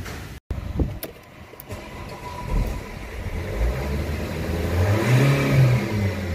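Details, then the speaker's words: Nissan/Vauxhall/Opel engine with a broken EGR wire, before cleaning the EGR valve: on revving the engine climbs slowly and unevenly, stumbling before pitch rises; throttle hesitation from a clogged EGR valve. "now that's before cleaning and hopefully you can get the hesitation in the throttle there hopefully you heard that did ya"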